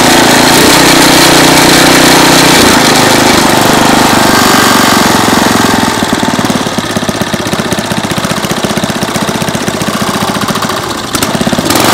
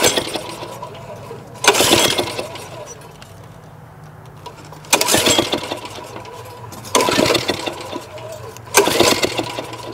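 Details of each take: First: 2001 Briggs & Stratton 5 hp OHV engine on a chain-drive rototiller, after repair and cleaning: loud, steady chug at about three beats a second with even firing and no knocks; the engine runs cleanly. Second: 2001 Briggs & Stratton OHV 5 hp chain-drive rototiller, choke on, pull-started: four attempts each give a short rough burst of popping backfires out the exhaust, never catching; no compression, owner suspects misadjusted valves.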